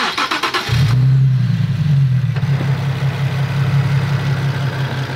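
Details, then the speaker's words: Nissan 370Z with about 100,000 miles, fully warmed up (the noise only appears warm): smooth, steady low idle with a faint light ticking; judged pretty much normal noise for this mileage. "this is pretty much normal noise for a hundred thousand miles on one of these but you never know what's going to go on"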